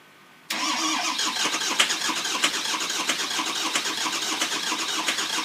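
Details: 2004 Ford F-450 6.0 Powerstroke after oil cooler replacement, EGR delete, coolant flush and fully charged batteries: long crank with ragged, uneven firing pulses that never settle. Cranks and fires but won't start, cause unknown.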